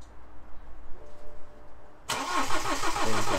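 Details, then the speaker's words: BMW N47 diesel with a broken timing chain, refitted after repair, first start attempt: the starter spins the engine in a steady rhythmic churn, rests, then tries again, speeding up slightly but not catching. Cranks, no start yet. "it's getting a little bit faster speeding up a little bit come on no don't have it let's go again come on let's let that start otor call a little"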